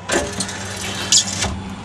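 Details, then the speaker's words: 1978 Mercury Grand Marquis power window motor after a new relay was installed under the dash; a steady electric whir for over a second that stops cleanly, so the window works normally. "Now let's see if I can put the windows up and down. Yeah, it looks like I got success."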